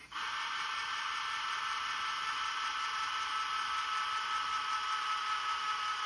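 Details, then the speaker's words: JVC GR-SXM330 Super VHS-C camcorder after repair of an e03 error and clicking fault, in fast forward: a smooth, steady whir with no clicking. Normal tape transport. "That's how one of these should sound. Not like, you know, clicking, clicking, clicking."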